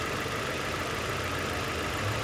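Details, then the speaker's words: 2002 Nissan Sentra 1.8L with a rough idle and code P0300: lumpy, stumbling idle. Secondary ignition probing found cylinder 1's coil spark duration dropping below 1 ms, against a typical average of about 1.5 ms, making it the suspect misfiring coil or cylinder. "this is a callback number one we're happy found a suspect coil pack or cylinder that's misfiring causing this p0 300"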